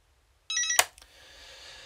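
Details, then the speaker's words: JAZZ Joystick mouse alternative in mouse mode: a short bright chirping beep of about a third of a second, then a click, confirming the joystick has entered learn mode before diagonals are turned on. "i'll show you now really quickly the diagonals and i'll put it back into learn mode for this"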